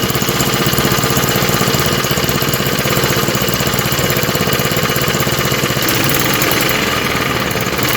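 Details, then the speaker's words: 1948 Johnson Iron Horse small 4-stroke single-cylinder utility engine, started on choke with the fuel bowl filled: steady pulsing run at about four beats a second, a little uneven; owner says the carb needs tuning, and oil is seen burning off. "obviously need some carb tuning and everything but that is pretty good i'd say looks like some oil coming out of there burning off and stuff"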